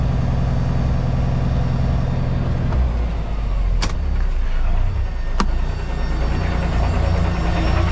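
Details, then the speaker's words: Kenworth K220 truck idling with a loaded trailer on flat ground, landing legs down and brakes set: a steady low diesel idle with a faint air hiss as the empty trailer airbags fill normally, still a bit soft. "So you can hear the trailer pulling up with air. I know it's flat here, so it's not going to roll away, but you can hear the airbags filling up."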